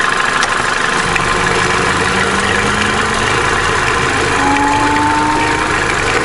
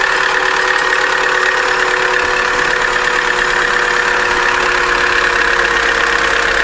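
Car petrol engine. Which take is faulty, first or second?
second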